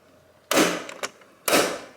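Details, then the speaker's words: Car door swinging: two sharp loud pops about a second apart through its check points, normal designed check strap action. "and that's what's supposed to happen i have to warn people every time i take them for a ride in this there's going to be a loud popping noise just don't worry about it"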